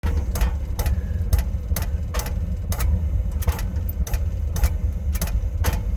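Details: Running oil burner: sharp, dry, slightly uneven clicks about twice a second over the steady low roar; a clicking fault, source unconfirmed.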